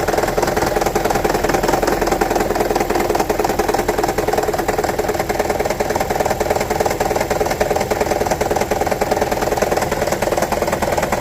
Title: Toyota Prius 1.5 Hybrid 2009: Rattling, Misfire P0304 DTC Troubleshooting